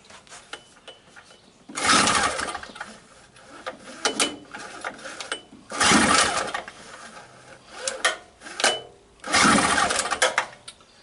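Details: Used 2-cycle 900 W generator, gas on and choke on: three slow recoil pulls spin the engine with no firing or catch; cranks but will not start.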